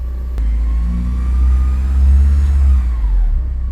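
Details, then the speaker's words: Porsche 944 after welding repairs, on the lift, needing a service: clean idle that rises smoothly on a blip and settles back evenly, no knocks or rattles; engine sounds fine and happy. "Sounds fine. Engine sounds very happy."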